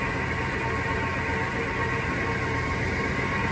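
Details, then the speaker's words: Vintage RV petrol V8 newly converted to throttle body fuel injection, after long storage, idling: steady, rough whirring hiss from the front of the engine; suspected worn water pump bearings, not confirmed. "I think the fan was spinning, but that sounds like water pump bearings. Uh, probably be doing a water pump here soon."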